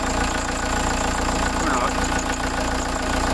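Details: VW T3 van with swapped-in TDI diesel, 1162 km after the swap, just started after an oil and fuel filter change: steady, even diesel clatter at idle with no misses, surging or stumbling; runs cleanly.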